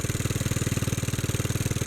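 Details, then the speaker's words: Early Bolens garden tractor (possibly 1957, Type 21HD01), long-stored, small single-cylinder petrol engine running smoothly at steady speed after main jet opened (was lean, died off choke), choke fully open, before slowing to adjust idle; normal running. "it sounds good now i'm gonna bring it down slowly hopefully it don't die"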